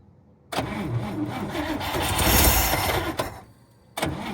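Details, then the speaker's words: 1954 Cadillac (12-volt) said to have last run three years ago, with gas poured in and a borrowed battery. The starter churns about three seconds and it coughs but won't catch. Probably flooded; no spark from worn wires is suspected. Cranks but will not start. "Yeah, I'm probably not getting any spark. Some of those wires are shot. Not going to go."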